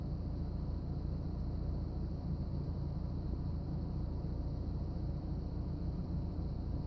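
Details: BMW E36 318is with M44 engine: on startup the idle dips and the car shakes, then the idle rises and settles but stays uneven and lumpy with no clean rhythm; rough idle, cause not identified.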